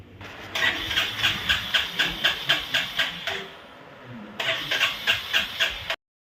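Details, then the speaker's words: Royal Enfield Classic 350 BS6 Reborn with starting complaint: self-starter cranks in quick even pulses, about four a second, stops, cranks again without catching; spark and fuel pump checked fine, no warnings; no start traced to clogged fuel injector. "നോക്കുകയാണ് നമ്മൾ self അടിച്ചിട്ട് വണ്ടി start ആവുന്നില്ല"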